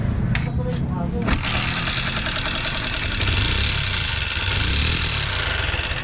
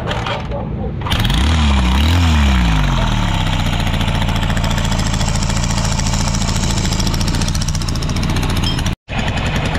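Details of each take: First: Newly bought Honda XR150 single-cylinder motorcycle starting and idling with a loud, busy valvetrain clatter; a loose rocker arm was found. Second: Newly bought Honda XR150 that was very noisy, after oil change and carburetor refit: single-cylinder engine starts, blips, then settles into steady, even idle with no knocking.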